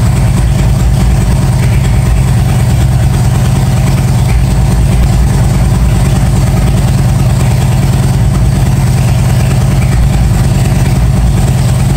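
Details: 1997 Harley-Davidson Road King EVO first start after top-end and cam chest rebuild; steady, even loping V-twin idle with no knocks or misses, constant hiss of a pressure washer behind; engine sounds healthy.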